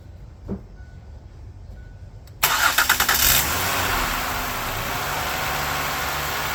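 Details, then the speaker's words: 2006 Ford Five Hundred after misfire repair and complete tune-up, fuel pump primed; engine cranks, catches and settles into a steady, smooth idle with no stumble, miss or rough idle. "So I call that a success. Car runs nice and smooth, no rough idle. Engine sounds great, sounds pretty smooth."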